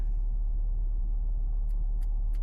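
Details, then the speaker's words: 2018–2019 Honda Odyssey: rhythmic triplet of sharp clicks through the audio speakers over low cabin rumble, suspected from the rear control unit (RCU). "Customer states clicking noise on the inside through the audio system speakers."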